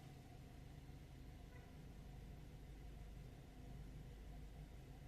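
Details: 2008–12 Ford Escape/Focus/Tribute/Mariner idling after replacing the ignition switch housing that caused a no-crank, no-start fault. Low, steady rumble with no misses or knocks: smooth, healthy idle.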